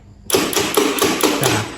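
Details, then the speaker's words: Honda Beat scooter with new battery and normal starter motor: rapid tek-tek clicking from the starter relay, about five a second, engine never turns over; mechanic blames a weak CDI, with starter circuit routed through the CDI. "bunyi tek tek tek tek tek gitu seperti ini Ini masalahnya ada pak ada cdi-nya yang sudah lemah"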